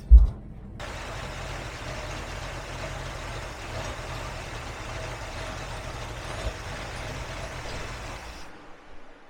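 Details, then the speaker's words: Big block V8 GMC truck: low, uneven, lumpy idle with no crispness after sounding crisp when first timed; ignition timing found to be all over the place, suspected distributor fault, number one spark plug heavily sooted. "I don't know what's going on when I was timing it it sounded nice and crisp it sounds awful"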